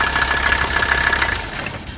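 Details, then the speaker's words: 1985 Mercedes 300D, OM617 turbo diesel five-cylinder, little blow-by, oil leak and no vacuum: steady light diesel clatter at an even idle with no stumble or heavy knock; engine runs good. "but it it runs good you know and that's the only reason I got it the engines good the transmission is good it doesn't really have much blow by"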